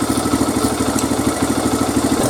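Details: 2002 Honda XR100R single after a riding season, idling during cam timing chain tensioner adjustment while warming up: steady even putter, no top-end ticking; healthy.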